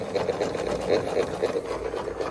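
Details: Car-shaped VHS cassette rewinder after cleaning an oxidized lever that had stopped it engaging: light, even motor whirr with a soft regular flutter at steady pitch; now working properly.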